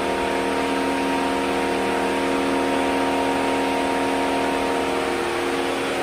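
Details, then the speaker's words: 2007 Mercedes-Benz engine running: loud steady whooshing roar with a constant whine as the cooling fan runs at full speed, switching on and off for no reason or not shutting off; suspected faulty ECM or CAN bus communication loss. "you can hear the cooling fan coming on away might be able to hear it just comes on and off for no reason just whiz it real loud and shuts off sometimes doesn't shut off at all"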